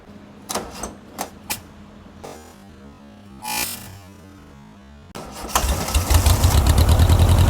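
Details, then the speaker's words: Barn-find 1967–68-ish air-cooled VW Empi IMP dune buggy, first run after revival: after a few starter bursts it settles into a steady, even flat-four idle with no knocks or misses, running normally. "Wow, that thing runs good. Sounds good."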